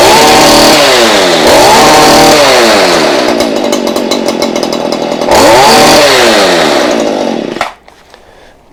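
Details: Stihl hedge trimmer, two-stroke, after fixing bogging caused by poor fuel, plug and spark arrestor: crisp engine climbs and drops cleanly through several blips without bogging, then shuts off; running right.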